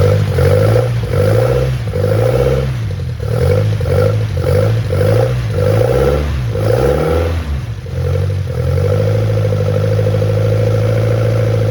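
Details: 1971 Toyota Celica RA20, 18RG on twin Weber 40 DCOE carbs, off the road many years, cold start with no choke connected: several blips then settles to steady idle; runs but carbs sound out of tune, no smoke; cause suspected, not confirmed.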